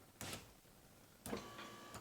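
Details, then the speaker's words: 1999–2005 Pontiac Grand Am rear door, about 20 years old: window motor whirs in two short bursts but glass won't lift, only pulls down; broken plastic regulator guide clip suspected. "or it's just disengaged, you can still hear the motor, it's probably the window clip there."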